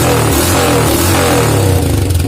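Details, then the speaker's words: First-generation Honda Supra Fit motorcycle after repair for stumbling and hard hot starting, valves adjusted, cold engine test: crisp even revs build and drop smoothly without the earlier stuttering; normal revving. "Hidupnya enak ya. Kemudian geberannya nggak kayak tadi. Kalau tadi berebet-berebet di geber, ini normal dan"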